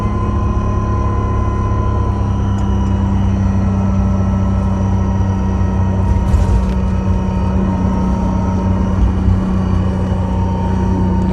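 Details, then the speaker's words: 4106 bus with suspected Allison V730 transmission whine (power steering lines also checked), on a test drive: steady whine over the diesel rumble follows engine speed, not road speed, loudest from the rear closet. Source not yet found. "as the engine speed goes up it's changing it's definitely related to engine speed not not road speed"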